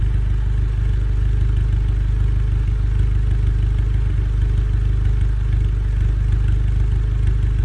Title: Misfires Golf R20